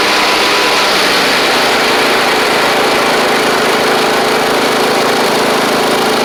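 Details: Troy-Bilt Pony riding mower with replacement engine and new head gasket, slight smoke at startup: even, steady single-cylinder drone with bright constant pitch, no misses or knocks.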